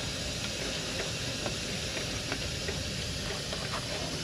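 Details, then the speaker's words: Freightliner M2 truck parked, rear unloaded: steady airy hiss with faint creaks as a rear air suspension bag leaks, suspension dropping and flat within minutes; air bag and leveling valve being replaced. "here you can see this thing the suspension's dropping it's already lost it here i've been under here for three minutes and we're already we've already lost air"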